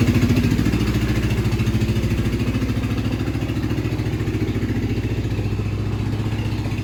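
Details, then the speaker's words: Kawasaki KZ440 project bike, new spark plugs: low, lumpy chugging about three and a half beats a second with uneven pulse; rough running, owner blames carbs wildly out of tune. "Alright, so we know that it wasn't starting because of the battery, but also it's not starting because the carbs are wildly out of tuned, and I am deciding right here, right now, I don't have time for this."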